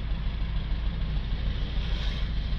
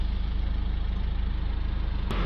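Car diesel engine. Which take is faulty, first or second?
first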